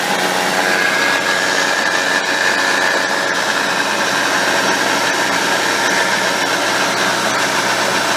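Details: 2006 Subaru Impreza WRX STi Spec C (GDB F-type, EJ207 engine, 55,599 km) six-speed manual transmission noise: thin steady high whine over drivetrain noise, traced to bearing in extension (rear) case.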